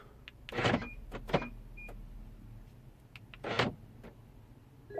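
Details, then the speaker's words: BMW F01/F02 passenger door lock after lock repair, fully reassembled, final test from key and interior button: quick firm lock and unlock clunks with short chirps, no buzzing or hesitation; door locking normally. "you can see this is working absolutely fine from the key and from the button"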